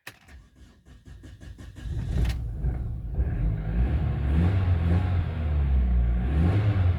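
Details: Vectra with an intermittent problem of starting and then cutting out; the fuel pump is suspected. After a few seconds of clicking it catches straight away and settles into a smooth, even idle, starting and running properly.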